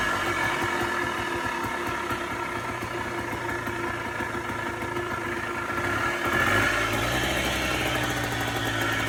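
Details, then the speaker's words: Polaris Trail Boss 250 4x4 quad saved from scrap, running after pull start with idle screw turned up: even, steady single-cylinder putter that lifts slightly then settles, no misses; normal idle. "All righty, guys. As you can hear, she's alive. She idles."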